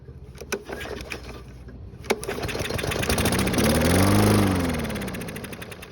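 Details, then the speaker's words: Toro push mower that wouldn't start, fuel primed into carburetor: several pull-cord cranks without firing, then briefly catches, revs and fades; hard starting. "So as you just saw, it only took priming it with fuel twice to get it running again."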